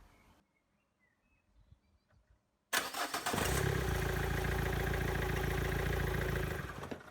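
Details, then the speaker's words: Renault Clio 1.5 dCi 65 diesel after fuel filter replacement and hand-priming: fires and settles into an uneven idle for about four seconds, then dies from air still in the fuel system; more priming needed. "so as you can hear of course it died looking knew it would and rather than keep cranking it my god give it a few more pumps and then try again at the moment"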